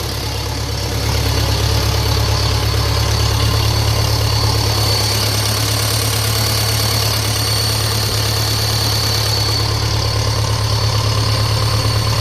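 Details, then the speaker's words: 1957 Ferguson FE35 TVO tractor first start after restoration work, tickover unadjusted: steady thrumming idle with thin constant high whine above; source unconfirmed, typical of air sucked past carburettor flange. "a bit of a whining off something there, I think."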